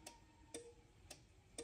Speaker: I'm going to go ahead and hit the e stop to shut that up pull it out and I'm still getting the you hear the relay